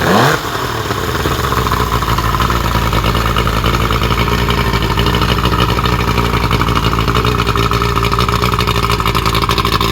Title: ‘75 Evinrude 70HP muffrun after rebuild